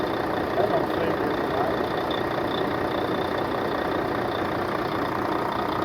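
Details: 2004 Volvo truck, diesel, started after sitting years: diesel clatters at a steady idle, even rhythm, no hunting or knock; healthy-running engine.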